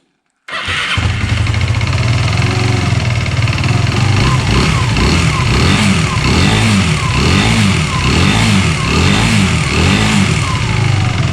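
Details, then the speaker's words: Aprilia RS4 125 that had dropped a valve, restarted after repair: fires up and revs in uneven surges, stumbling before picking up cleanly; throttle hesitation at first, then takes throttle; owner suspects a rod knock. "So it does run but it got out. I don't want to take throttle."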